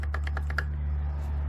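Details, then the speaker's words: Starter from a 2013 CF Moto Z6, bench-tested with ground and power leads: six quick clicks, then only a steady hum as it engages electrically but never spins. The flywheel is suspected of chewing up the starter teeth. "And nothing's happening. I hear it, but nothing's, it's not kicking out and spinning no more."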